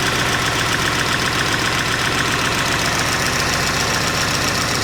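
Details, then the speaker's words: 1988 Saab 900 Turbo, first start after months, on starting fluid, after Hall sensor replacement and a fuse fix: steady, even idle with smooth regular beat, no misses or knocks; running normally. "She's alive."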